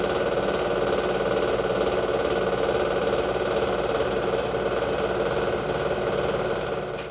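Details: LG front-load washer at high-speed spin: loud roar with steady rhythmic knocking about two beats a second from worn drum bearings.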